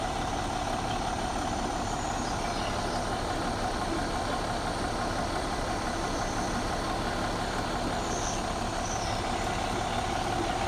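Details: 2014 MCI J4500 coach with a fresh engine (listed as Cummins, also called Volvo) and Allison B500 transmission, rear engine bay open on a hot day: steady, even diesel clatter at idle with no knocks or misses; healthy.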